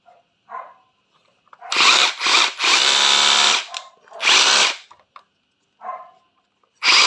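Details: Used Hitachi 18V brushless cordless four-mode hammer drill tested unloaded: several short full-speed bursts of smooth steady high whir starting and stopping cleanly, no knocking or grinding, described as quiet; normal running.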